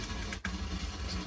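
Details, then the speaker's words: Korg M1 synthesizer after factory patches reloaded by sysex: low, grainy, irregular digital chatter in the output that changes with machine activity, with a brief dropout; later cured by replacing one faulty dynamic RAM chip. "Okay, so I've managed to sys-ex the factory patches onto the machine, but it didn't get rid of this internal chatter. So it does change its sound depending on what I"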